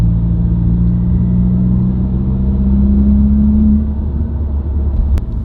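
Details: New-generation Subaru WRX, recorded inside the cabin while driving: steady low humming drone under road rumble that rises with road speed and holds through gear changes and out of gear. Dealer-diagnosed broken centre-diff viscous coupler, recorded before repair.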